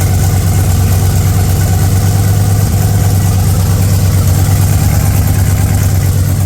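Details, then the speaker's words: 302 V8 with Holley Sniper 2, cold start in neutral, slow to crank, new exhaust not yet fully welded; lumpy, deep, uneven idle with faint puffing roughness; exhaust leak. "Hang on, gotta get in, I suppose. Let's see. Took a bit to crank over. A bit leaky."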